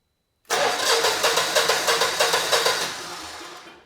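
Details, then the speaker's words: Generac GP17500 portable generator (model 0057351), bought non-running with water in the carb, new battery fitted, first electric-start crank: starter turns at about three even pulses a second, each stroke pushing back firmly; normal compression on both cylinders. "Beautiful. And we do. You know, it sounds like we have compression on both cylinders."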